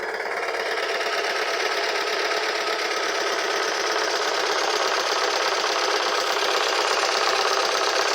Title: A cracked Coil pack, your #VW will sound like this #Garage #K53